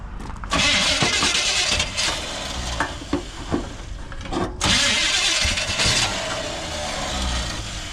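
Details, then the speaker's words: 1980 Chevy 4x4 squarebody after Quadrajet rebuild, bowl primed with old two-stroke mix: long cranking with uneven ragged catches and brief surges that never settle; engine sputtering but not running. "She's sputtering"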